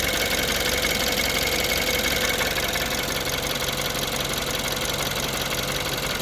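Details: 2014 BMW 328i N20 engine, built 06/2014, cold start, idle and revs; busy metallic chatter about twice a second over a steady idle, suspected timing chain rattle, not confirmed.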